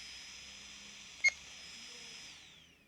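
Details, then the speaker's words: Kandao 8K 360 Pocket camera: a steady high fan whir, a short beep as 8K recording starts, then the fans wind down and stop, oddly, even though the camera heats up while recording. "Deci acum a început înregistrarea și s au oprit ventilatoarele foarte ciudată treaba Pentru că ea acum se încălzește când am pornit să Înregistrăm în 8k pentru că e o rezoluție foarte mare"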